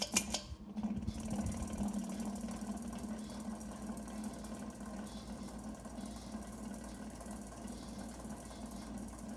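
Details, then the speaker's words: Early-1980s 52-inch FASCO first-generation Charleston ceiling fan, light kit fully tightened: steady low hum with rough buzzy bearing chatter and rattle; owner thinks bearings need oil or replacement, slight wobble from a previously bent blade. "it's all the way tight and it still does that and you can hear the bearing chatter so they might just need oil or maybe a replacement I don't know that's gonna drive me crazy"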